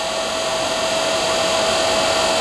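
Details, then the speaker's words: Rebuilt Raymond electric motor with new brushes and brush holder, breaking in on old lead-acid batteries in 20-minute runs at decent rpm: smooth steady hum and even whine, no scratching or chatter, much quieter as brushes seat; normal running. "they'll do about 20 minutes with some decent rpm so i think after uh after this one we'll uh we'll be done with it it's much quieter hopefully you guys can tell that so all right"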